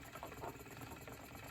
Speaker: It's a little squeak in my wheel as you can hear.